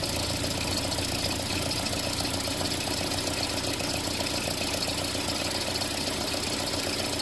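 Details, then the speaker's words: Land Rover Series engine at idle after tappet adjustment: uneven, fast ticking, about three or four a second; rocker tick seems gone, owner suspects an exhaust leak at the downpipe bolts mimicking lifter tick. Cause not confirmed. "I've also heard of exhaust leaks sounding like lifter tick. So if I solve the exhaust leak issue, maybe the quote lifter tick will disappear too."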